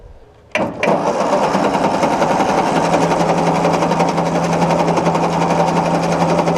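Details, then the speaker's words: 1953/54 Ford Golden Jubilee NAA tractor after sitting over 20 years: steady, even starter churn at about three to four turns a second with no clatter or grinding; cranks over fine, oil pressure gauge did not move. "Oh yeah, she cranks over fine. Yeah. Well, there we go. Okay, so we got crankage. Very nice crankage."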